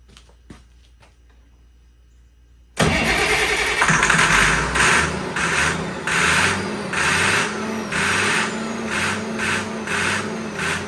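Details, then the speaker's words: Allis Chalmers 190XT tractor, intake pipe off and ether sprayed straight into the turbo, starter jumped with a screwdriver: engine bursts alive, surges and sags, then dies as the ether stops. No fuel reaches the injectors; owner suspects a bad injection pump. "See, it dies right when you take the ether off of it. It sounds good, honestly, running off of the ether, but if you ain't got no fuel, it's just gonna die."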